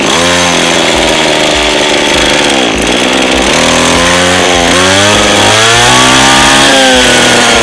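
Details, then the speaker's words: Lawn mower two-stroke engine that is hard to start and runs rough; buzzy note keeps dipping and picking back up in speed, never steady, uneven running. "Máy cắt cỏ hướng dẫn sửa chữa khó nổ không đều"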